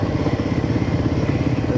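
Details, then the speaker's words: Royal Enfield Himalayan 450 after days of rain, APS fault and new "misfire detected" warning, riders suspect moisture: lumpy, uneven single-cylinder thump with skipped beats before the engine dies; cause unconfirmed. "Misfire detected. Misfire? Yeah, this is a new warning."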